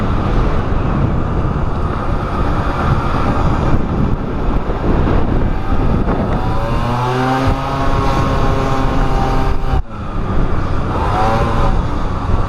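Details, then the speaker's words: Pulse Force 50cc two-stroke on a speed run after warming up, heavy wind and road roar: engine note climbs, drops out abruptly near ten seconds, then picks up; cutting out at speed, owner suspects fuel starvation. "you'll see the camera footage there guys it's definitely it's definitely starving of fuel at some point"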